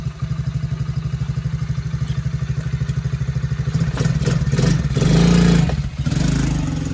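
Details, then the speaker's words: TAO 110cc ATV with a brand-new replacement engine, governed to about half throttle, being ridden: even idle thump that picks up smoothly with throttle and eases back with no misses; runs pretty good; normal running. "We've got it governed back to about half throttle. Still fast for a little guy. But runs pretty good."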